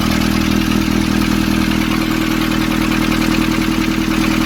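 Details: 2015 Nissan Urvan ZD30 diesel after a no-start repair in which a black, dirt-clogged part was cleaned: smooth, regular idle beat around two and a half per second with steady light clatter; runs clean and even.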